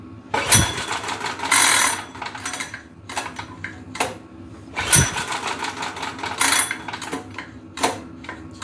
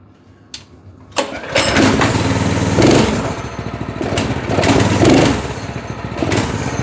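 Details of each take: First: Go-kart engine unused about two years, pull-started with choke on and fresh fuel. Sharp recoil pulls every few seconds with no firing; fuel and spark are present and compression is to be checked next, and the engine later proved blown. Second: Single-cylinder go-kart engine at idle, tested while sorting a linkage that wasn't springing back. It catches after a short crank and settles into a steady, even beat of about four firings a second, running clean.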